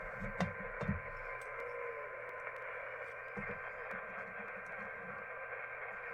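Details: uBitx ham transceiver with Nextion touch screen, receiving on 40 meters: steady hiss with faint muffled broadcast audio bleeding through, as the receiver picks up the AM broadcast band.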